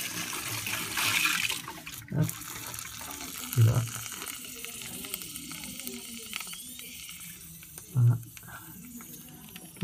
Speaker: Et on entend très bien. Fuite détectée.